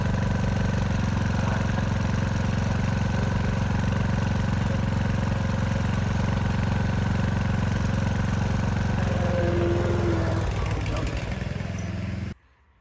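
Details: Craftsman DLS 3500 tractor, Briggs & Stratton OHV Intek engine, after head gasket replacement, warm after about 10 minutes of running: even steady idle thump with no misses or knocks, then winds down and shuts off cleanly; smoke gone, healthy.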